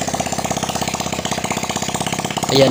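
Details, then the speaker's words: Honda XRM 125 after overhaul with new connecting rod and RS125 block and head, exhaust not yet fitted: engine starts and settles into a quick, even pop-pop idle with open exhaust bark, no bottom-end knock or smoke. Normal start and idle. "na, okay pa naman itong kanyang sa block. Wala pa namang usok ang block ng RS. So goods"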